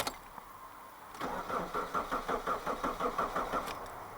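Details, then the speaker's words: Mitsubishi Shogun Pinin 2.0 GDI 4G94 after fuel-system work for P0190: first start with no fuel in the system, engine fires and stumbles in uneven pulses about three a second, running lean on air in the fuel lines. "It may sputter a little bit because there is no fuel in the system right now."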